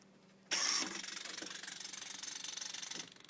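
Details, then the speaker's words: FMS 1700mm P-51 RC plane retract switched: the small gear motor whirs about 2.5 s then stops, and only one leg comes down intermittently. The owner suspects a short in the ribbon cable, as grabbing the cables changes it. "only one coming down it's kind of intermittent sometimes I'll get the other one will come down as well"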